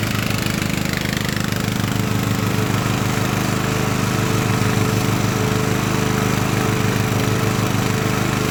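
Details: Craftsman LT1000 riding mower with swapped-in Briggs & Stratton engine, warmed up after a week unused, test-mowing tall grass with unsharpened blades: steady single-cylinder drone at even speed, no misses, knocks or hunting; engine running healthy.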